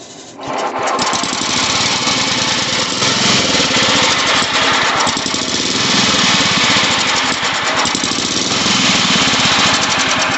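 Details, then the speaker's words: Old Sears Craftsman Suburban 12 hp tractor being revived with a new battery, started on full choke: busy, slightly ragged run with an uneven beat. Running lean, so the fuel adjustment screw on the bottom of the carburetor is turned counterclockwise. "It's just running a little lean. So we're going to go counterclockwise on the one on the bottom of the carburetor."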